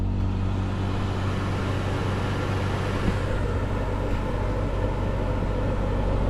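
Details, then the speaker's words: Truma Aventa Comfort roof-mounted caravan air conditioner with the compressor running and fans on speed 2, in 30-plus-degree heat: loud, steady low hum and roar with no rattles or knocks; running normally, just noisy. "Now it's a compressor on your roof, so it's not going to be quiet, I understand this, and at the moment you can hear it humming there, and the fans, in fact I put the fans on speed 2."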